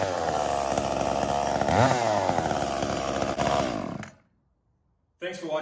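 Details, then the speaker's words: Echo CS-345 chainsaw after a 1/8-turn richer high-speed screw adjustment (previously bogging lean) and a lowered idle: strong, steady two-stroke scream holding revs through the cut without bogging; running properly. "as you can see adjusting that high speed screw about an eighth of a turn to the richer side of things allows this little saw to run exactly like it should"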